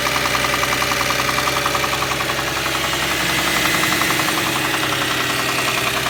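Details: Subaru EZ30 engine with a spun rod bearing: sharp, regular metallic knocking at about three or four per second over the running engine, classic rod knock.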